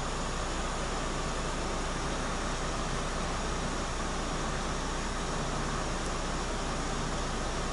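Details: Peugeot 207 whose AC had stopped working and compressor was condemned, AC switched on at 29° cabin: steady even blower rush with low constant hum, compressor clutch engaging, no squeal; panel temperature dropping to 19-20°, normal AC operation.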